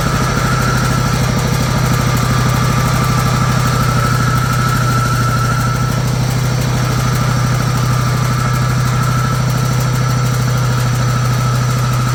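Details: Old John Deere GT262 garden tractor, sat for many years, started on a fully charged battery: low, fairly even thump at idle, about three beats a second, holding its idle; engine idling.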